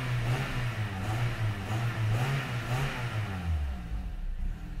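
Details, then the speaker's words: 2005 Pontiac Vibe started without the key after replacing blown fuses; rough idle, with revs rising and falling in a stumbling, uneven pulse; spark plugs to be pulled to find the cause; engine misfire. "so the car starts but it definitely sounds like there's a miss so i'm actually gonna go pull the plugs and everything now to try to figure out what's going on"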